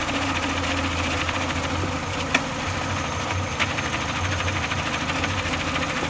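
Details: 2004 Renault Clio 2 RS at idle: even low drone with an odd sharp tick every second or so, heard only with the clutch pedal released, suspected clutch or gearbox. Idle noise with clutch engaged.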